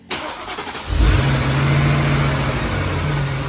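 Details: 2011 Mercedes-Benz GL 450 after replacing the A/C compressor, serpentine belt, idler pulley check and oil filter housing seal: starter cranks briefly, engine catches cleanly and settles into an even, smooth idle with no squeal or knock; normal start and idle.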